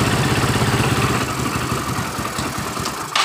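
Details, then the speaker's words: Yamaha Mio Soul scooter reassembled after total failure, steady quick idle with coarse gritty rasp from the generator (dynamo) side; rough magneto/generator noise. "coba kita hidupkan motor hidup dengan normal cuma yang ribut ini di bagian dinamonya suara kasar"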